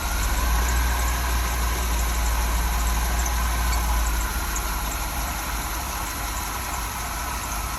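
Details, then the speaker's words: Chevy Astro 4.3L van with rain/moisture no-start (ignition module, coil, distributor; P1351), after dielectric grease, raining two days: started right up, even steady idle, no stumble or misfire; normal. "So the vehicle started right up. Normally it hesitates, especially with all this moisture in the air right now."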